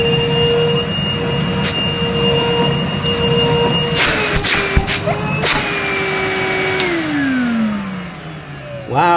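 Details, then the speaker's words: Numatic Henry 1200 W vacuum made 2006, unboxed factory-sealed after ~15 years, first run on low suction setting: strong steady motor whine at even pitch, later winding down smoothly, no rattles or scraping; normal healthy motor. "henry you do have a strong suck on you don't you"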